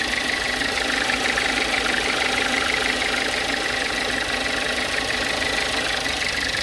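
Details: Volkswagen Jetta at idle: a steady, even knock about twice per second that keeps pace with the engine. The source is unknown.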